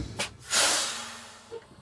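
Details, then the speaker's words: Detroit Diesel 6V92 truck with brake problems after air lines swapped, park brake off, pedal pumped; sharp rush of air then steady fade, brake chambers taking air and moving. Normal air brake chamber actuation. "I hear something moving sounds like they're doing something"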